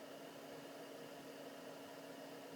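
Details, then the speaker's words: Newly installed Planar/Autoterm diesel air heater in a campervan, first test run on high: steady airy fan rush with a faint constant tone and a very faint bassy thump, possibly from the fuel pump, running normally. "there's a very gentle thump thump thump which I think is the pump but it's not a ticking noise it's just a very bassy thump thump thump in the background and you have to squint your ears to hear it"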